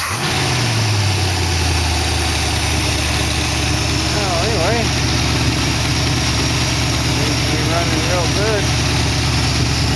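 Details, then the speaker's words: 1914 Dodge T-bucket engine warming toward thermostat opening, about 180 degrees, 40 psi oil pressure, water pump working, no smoking: steady, even idle with a deep, constant note, no knocks or misses. "Whack it one. Sounds good. Well, motor doing its thing."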